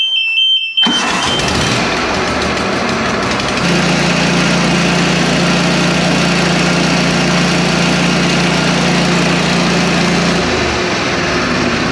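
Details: Exmark Navigator mower bought to flip, started in the rain after refitting the retainer: a small single-cylinder engine starts and settles into a steady, even drone with rain hiss behind it. Running normally.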